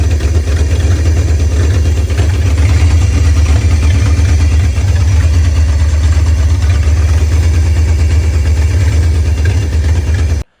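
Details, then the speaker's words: 1968 Ford Torino, formerly seized engine, after carb fix (stuck float, backwards accelerator pump spring, misrouted vacuum lines), fed from a 5-gallon jug, started by jumping the starter: deep, even rumble, running fine; oil pressure still unknown. "Put the hose back in the 5-gallon jug, jumped the starter terminal, and it fired right up. Ran just fine."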